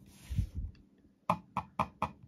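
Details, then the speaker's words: Zowie U2-DW mouse lifted and set back down on an Artisan Hayate Otsu V2 pad: a soft thud, then four sharp, evenly spaced plastic snaps; owner suspects the top click plastic is catching somewhere; other Zowie mice stay silent. "で、今回も問題になっている U2 なんですけども、ちょっと何かが弾かれてるような、こういう音が鳴るんですね。"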